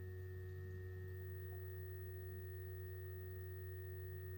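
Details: Two GoodWe Lynx Home D 5.0 batteries (10 kWh total) in a basement whose cooling fans hum loudly at 43–45.5 dBA during charging or discharging, even at 1.5 kW, against a 35 dBA datasheet rating.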